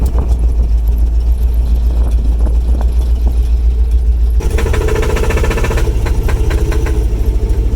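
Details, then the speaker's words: Lifted 1967 Cadillac DeVille V8 on 39.5-inch Super Swampers, off-roading, already running poorly: heavy rumble turns choppy, popping about three times a second like a two-stroke; misfire, not knock, valve-train problem suspected. "sounds like a two-stroke that's not an engine knock that's something firing when it's not supposed to but it's not detonating it's just something wrong with the valve train"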